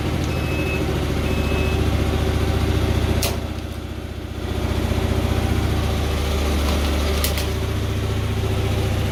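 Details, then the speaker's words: 2004 Hyosung GT250 Comet after carb cleaning, new fuel filter and battery: steady low putter dips briefly and recovers while warming on choke, choke almost fully off, idling about where it should. Normal warm-up idle. "so I don't know if you can hear me or not but we're gonna let it warm up a little bit I've almost got the choke all the way off and it's idling about where it should be"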